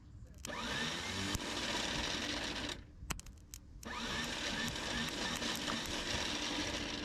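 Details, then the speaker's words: 1972 Chevrolet Malibu after sitting 25 years: two bursts of high free-spinning starter whir with no compression beats, engine never turns over; Bendix suspected not engaging, not confirmed. "Oh, that sounds horrible down there. Let me go hit it with a hammer. This sometimes works."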